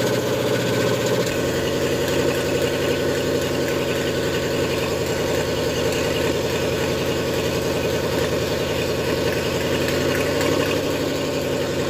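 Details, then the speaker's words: Ford F100 302 V8 with a Comp 268H cam, during cam break-in at fast idle: a steady, rapid valvetrain knock. The valves had been adjusted wrong, for the second time on this truck. "At this point in time, what's happened with the truck, I'm sure you can hear it knocking. We had a lot of concerns It turned out we had just adjusted the valves wrong."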